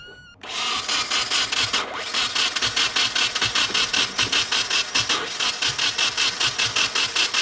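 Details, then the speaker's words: Nissan 240SX KA24DE engine after a missing ground was fixed, battery weak from priming: regular starter chugging about 2.5 beats per second that never catches; compression and timing sound good but it cranks without firing, cause unconfirmed. "it sounds pretty good yeah it sounds like there's compression and everything timing sounds good"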